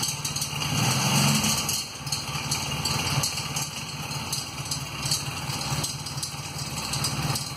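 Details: 1994 Honda Magna with a broken front cam chain tensioner: light metallic chatter over a fast, uneven idle, a loose top-end rattle from the cam chain.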